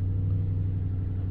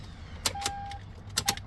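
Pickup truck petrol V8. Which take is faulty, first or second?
second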